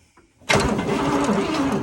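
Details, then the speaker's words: Oldsmobile Toronado 425ci cranking with a steady churning whir but never firing. No spark; electrical faults are blamed. "i've got some cranking over did you put any star trek boots no no i was checking it's got no spark no spark okay"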